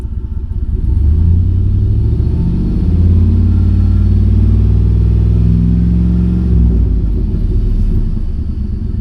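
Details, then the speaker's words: Used GMC 2500 HD V8 after retightening exhaust manifold bolts: deep rumble through a rev with no ticking under throttle, previously loud and rising with throttle; only a very slight tick remains at idle. "still has a very slight tick at idle. But when you get into it, when you get into it, it was very noticeable."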